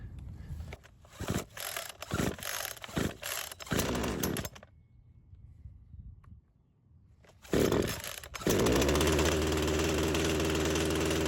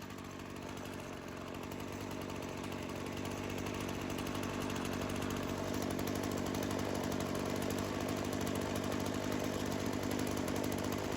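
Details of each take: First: Craftsman chainsaw that sat for years, primer bulb full, on full choke: several quick rope pulls with no catch, a pause, then more pulls. Hard starting, with the cause not confirmed. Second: Craftsman chainsaw that sat for years, started after checking the primer bulb and choke: steady even two-stroke idle with smooth buzzing beat, no hunting or stumbling, chain not moving; normal idle, no seal or gasket leak indicated.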